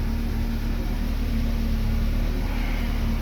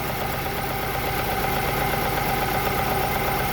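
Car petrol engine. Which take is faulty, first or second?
second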